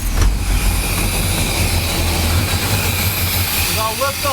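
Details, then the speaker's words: 1978 Chevrolet K30, 350ci V8 with HEI ignition: lumpy uneven idle with occasional stumble; misfire likely on cylinder 3, whose plug wire burned, suspected against the header. "I looked up the firing order and that should be cylinder three which is the one that I suspect is hitting the header right there here's the difference new plug wire it obviously burn"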